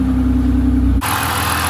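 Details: BMW 323i E46 with M52 engine after replacing the faulty air flow sensor that caused its starting fault: starts and runs cleanly at a steady, smooth idle hum with an even low drone, then a brighter rush of noise; normal idle.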